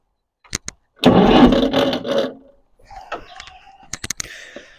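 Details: Ferguson TEF-20 vintage tractor, cold start after adjusting the starter pin engagement: a couple of clicks then about a second of firm even starter cranking; starter engaging properly.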